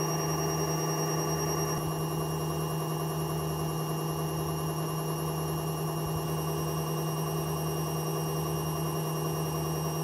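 Loud sustained droning roar with a pulsing rumble underneath, steady throughout the spin; classic worn drum bearings.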